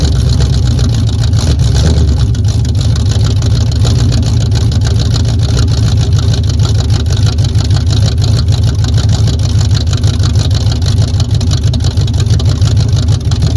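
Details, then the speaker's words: 1978 Camaro V8 with no choke, started with a freshly charged battery at about 45°F after failing in 16° cold: cranks briefly, catches quickly and settles into a strong, even idle with a steady deep burble. "there we go guys little bit warmer weather definitely helped it's about 45 out here now"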